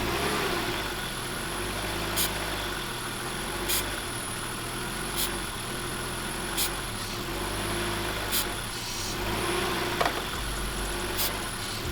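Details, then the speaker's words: 1995 BMW E36 325i with throttle body cleaner being sprayed: a fast raised idle around 3000 rpm with short hissy bursts. Cause is unmetered air through the cracked intake boot between throttle body and MAF. Fix is a new boot and air filter plus MAF cleaning. "it's causing a lot of an idle issue up to a very high idle issue we're idling at 3000 rpms that's all because of those cracks in the boot"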